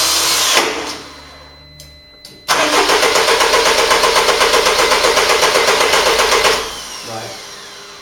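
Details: 2002 Mercedes-Benz E-Class with intermittent no-start, crankshaft position sensor codes P2046 and P2045 despite new crank and cam sensors: starter cranks evenly about four beats a second for four seconds but engine never catches.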